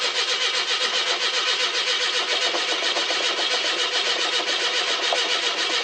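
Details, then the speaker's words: 42-year-old carbureted car sitting a couple months, old mechanical fuel pump (possibly weak), float bowl dried out: steady cranking about two turns a second that never catches while fuel is drawn up to the carb; long-crank no-start. "The last time I tried starting her, needed to put a little bit of fuel in the float bowl. But we'll see what happens. It'll take a bit to get the fuel up to the carb."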